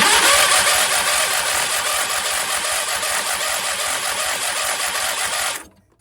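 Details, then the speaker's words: Late-1990s/early-2000s Craftsman riding mower with a swapped-in 21.5 HP Briggs & Stratton engine: the noisy old starter cranks with a loud, rough, rattly whir for five seconds but the engine never fires, despite fuel reaching the carburetor; the owner may replace the starter. "Well, it's working. It's just not starting for some reason."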